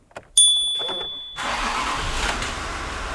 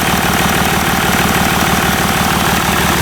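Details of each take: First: Rebuilt 3.0L TDV6 diesel in a Range Rover L405, first real start after a rebuild for a knocking engine with metal in the oil filter: brief crank, then it catches cleanly at once into a smooth, even idle with no knocking. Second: Range Rover L405 3.0 TDV6 diesel after engine rebuild, first idle: loud, raw, rapid steady rumble with smoke, engine itself smooth; noise is from the exhaust, not the engine.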